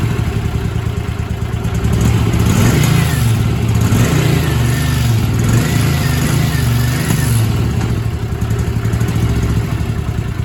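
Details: Barn-find Honda twin motorcycle (GL500/CM400/350 group) revived after decades sitting: picks up cleanly through several blips and settles to a steady, even beat; no misfire or knock, running healthy.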